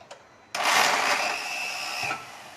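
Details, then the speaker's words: VW Golf starter motor missing its front bearing (nose) bushing, so the Bendix pinion runs off-centre and fails to mesh with the flywheel ring gear. Cranking gives a harsh high-pitched grinding whir, no start; the car only starts by push-starting. "Então a hora que você dá a partida que ela engrena para frente, ele não encaixa na gremalheira, porque tá sem a bucha. É onde faz aquele barulho."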